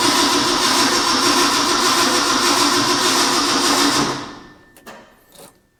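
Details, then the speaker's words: Ford F100, first start attempt after purchase, starting fluid used, negative battery terminal very hot: steady rapid cranking about 3.5 turns per second, never catches; owner suspects fuel delivery/accelerator pump; cranks but no start. "there may be something with the fuel not getting in here you might need to mess with this a little bit get that accelerator pump to work"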